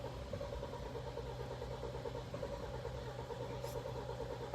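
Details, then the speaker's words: Kia Sportage G4KD 2.0, 160,000 km, automatic, AWD, first start after engine rebuild for cylinder scoring: long even cranking with no cylinders catching, because fuel had drained from the rail; it later starts. "странно что-то не хочет давление уже пошло машины запустилась у него форсунка слетала топливно с рампы то есть топливо полностью сбегала с реки"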